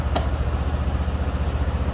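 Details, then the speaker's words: Yamaha NMAX 155 V1 scooter after cam bearing replacement and throttle body cleaning, no error codes: smooth, even low putter at idle, no top-end ticking that was previously loudest at idle; normal quiet idle, sounds like new. "So, ayan siya, tahimik na. Kasi pagka naka-minor, doon siya maingay eh. Ngayon, wala na siyang ingay."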